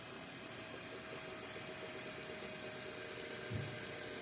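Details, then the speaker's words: Deepcool LT720 AIO liquid cooler pump after repair, mounted on an i7-14700KF CPU: a quiet, steady hum with a faint constant tone and no chattering. Before the fix it crackled; air bled out, now runs normally. "установили на процессор A7 14700 KF как можете слышать не шумит ремонт успешный"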